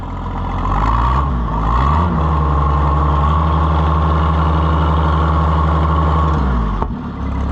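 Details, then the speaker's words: Oliver 77 Rowcrop tractor gasoline engine just started at 37°F using choke, oil pressure gauge faulty: engine picks up, then settles into a steady, even low beat with no knocks; runs good. "Aha. We got life. Oh, yeah. Listen to that. That runs good."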